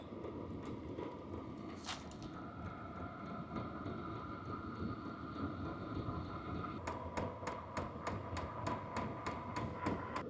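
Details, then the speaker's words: H-Calory diesel heater with replacement WAYSKA fuel pump, shell off, run at levels 1 to 5; soft, even piston ticks about three per second over a quiet fan hum, fainter than the fans and much quieter than the original. Normal. "So you can still hear it, what you're going to, because it's a piston that goes back and forth. But it's a lot quieter than the original one."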